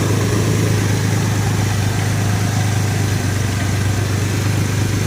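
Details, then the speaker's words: 2003 Ford Explorer after replacing a worn, wobbling engine pulley that caused a loud startup rattle; steady low idle with a faint light rattle still present, owner thinks some engine rattle remains but pulley was the main source; idler pulley rattle. "i think i still have an engine rattle but that was definitely the source that's the main problem"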